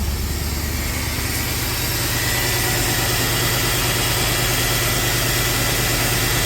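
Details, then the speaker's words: Possibly 2008 Mercedes CLK63 AMG, M156 6.3L V8, first cold start after new PCV, coils, injectors, valve cover gaskets and fresh oil: smooth, even idle with steady low hum, no startup taps or rattle, so no cam phaser issue. "running like a sewing machine no Taps on Startup which is nice that means there's no uh phaser cam phaser issue or rattle or anything like"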